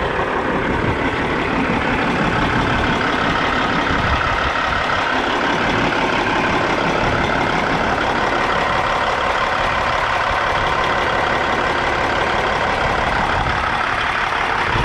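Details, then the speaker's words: 1998 Freightliner Classic XL, Cat 3406 diesel, after a PM, primer cleaning and check valve replacement (previously wouldn't hold prime): steady heavy diesel clatter at an even idle with smoke from the tailpipes. Normal diesel idle. "Without further ado, let me crank her up for you. Let you guys hear what she sounds like. Got a bunch of smoke out the tailpipes."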